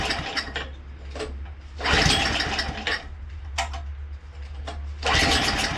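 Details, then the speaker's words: Craftsman 2-stage snowblower engine, unstarted 2 years with old fuel: coughs and surges in uneven bursts, briefly smooths, then stalls; low on fuel, fired right up after adding gas. "Okay, it moved a little bit, and then it cleared up, and then it stalled. So I just put some gas in there, fired right up."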